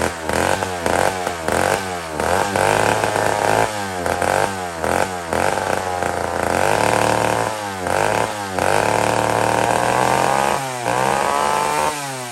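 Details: Old McCulloch 1-71 chainsaw after a major carb upgrade: carb rebuilt with jets from another carburetor, leaking gas line zip-tied, intake leak fixed with a double gasket. Repeated strong revs with clean return to idle, no bogging or stalling. Normal running.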